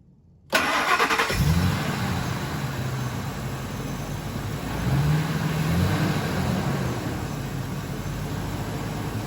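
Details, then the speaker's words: 2001 Ford F-250 5.4L V8 after replacing the cylinder 5 coil pack and spark plug for a misfire and clearing codes: catches after short crank, settles into smooth even idle, no misfire. "all right now the engine's running smooth no misfire and we'll come back and get all the rest of those plugs changed out at a later time"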